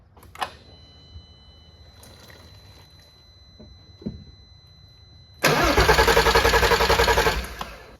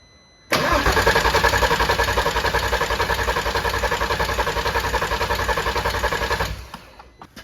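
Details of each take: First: R32 that sat outside for a long time, first start attempt after refuelling and priming the fuel lines: quiet key-on ticks and faint tone, then an even starter churn of about three and a half turns a second; normal cranking. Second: VW R32 that sat outdoors for a long time: starter cranks steadily about 3.5 times a second for six seconds and never catches; barely any fuel reaches the engine, and a clogged fuel filter or bad fuel pump is suspected.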